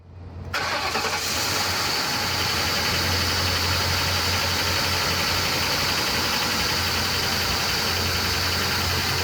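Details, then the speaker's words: Ford Crown Victoria Police Interceptor (P71) V8 on startup: settles into a rough idle with a steady knock about four beats a second, the dreaded engine knock, unlike a healthy engine. "and last but not least guys keep an ear out for the dreadful engine knock"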